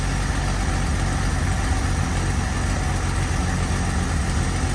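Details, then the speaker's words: Carbureted AMC Eagle after turning the mixture screws out another half turn each, following a sizzling suspected air-fuel or vacuum issue: low, steady, even idle with no stumble or miss, a smooth purr. "That sounds a lot better. Doesn't it? that is purring."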